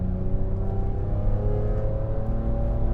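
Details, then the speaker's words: 2005 BMW E46 M3, S54 straight-six, 6-speed manual, MagnaFlow exhaust, driving under light load: steady deep smooth drone with no knocks or misses; revs and idles smooth, engine healthy. "revs really smooth, it idled smooth, the AC works."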